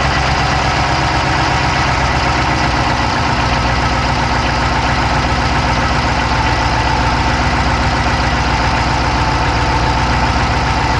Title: Dodge Charger Hemi fast clicking sound, inside Passanger Side engine bay view,insta360 go3.